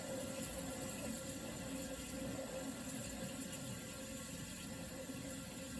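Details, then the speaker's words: Vintage Sears Coldspot 28 dehumidifier just shut down after running; soft gurgling hiss with a faint tone slowly quieting as refrigerant flows after compressor stops; normal refrigerant flow after shutdown. "that's the noise of the refrigerator and it just kind of slowly quiets down"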